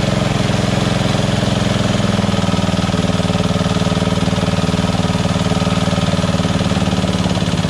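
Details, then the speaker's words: Lawn tractor engine after fitting a newer intake manifold with an O-ring gasket, a new carburetor and a curved backward-facing fuel nozzle: quick, even putter held steady at lowest and highest idle, with the surging cured. "this is on the lowest idle right here go even lower if i wanted to that's it that's the highest so awesome okay"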